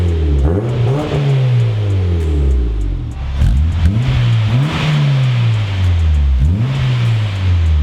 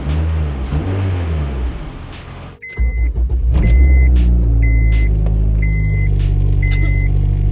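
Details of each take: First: Turbo Honda Fit after new exhaust fitted and exhaust leak fixed, before motor mount swap: several quick revs with a deep, even note, no puffing or ticking; slightly louder with turn-down tip, exhaust sealed. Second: Turbo Honda Fit with new exhaust, just fitted stiff aftermarket motor mounts: deep steady drone and buzzing hum at idle carried strongly into the cabin; mounts pass engine vibration through.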